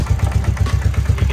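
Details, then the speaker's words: 2003 Bombardier (Can-Am) Quest 500 ATV that won't shift and smokes, shifted into gear: deep heavy uneven thumping, about eight a second, as the engine shudders; clutch seen sticking, one-way bearing suspected, not confirmed. "it's shuttering that guessing we're going to have to replace that oneway bearing in there"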